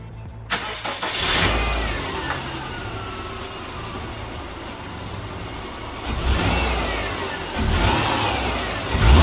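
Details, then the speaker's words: 2008 Subaru Legacy 2.5, manual, stock before the Cosmo Racing intake install, battery just reconnected: starter crank, then it fires and blips up and back twice cleanly with no rattles. An odd first crank, otherwise a normal start and revving. "I don't know what that first crank was about, but uh yeah, that's what she sounds like stock. Um, nothing major going on."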